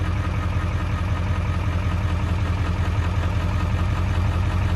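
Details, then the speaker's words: 7.3 Powerstroke diesel warming at idle after IPR replacement: a steady, smooth low rumble with light, regular clatter and no knocks. It runs smoother and quieter, with IPR dropping slowly to 19.5%. "But wow, I mean, it seems to be running a lot smoother, honestly. A lot quieter, and but the IPR percentage is going down slowly."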